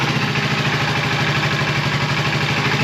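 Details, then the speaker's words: 1980 Suzuki GS450 after lowering a backed-out high throttle stop: smooth, even low burble with steady slow beat and no hunting or misses, idle set around 500 rpm. "I do think that maybe just maybe our throttles a little on the high side"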